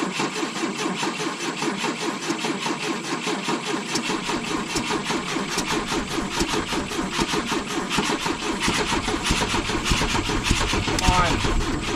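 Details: 1972 Volvo 145 on rigged fuel with vacuum ports plugged: cranks, catches, then runs with a lumpy, uneven beat around a hundred pulses a minute; two cylinders dead from disconnected plug wires.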